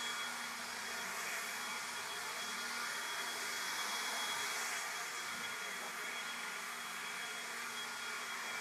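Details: Ryobi leaf blower after repair of its worn low-to-high speed switch, on a fully charged battery: a smooth, steady, airy whoosh at constant high speed with no cutting out or surging; it runs normally at full speed.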